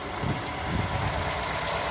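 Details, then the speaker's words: Classic Ford V4, started a little cold with air filters off, at normal idle: slightly uneven, throbbing low note from its balance shaft, otherwise running healthy. "running unusual note cuz it's balance Sha but you've seen that before so that's that one out"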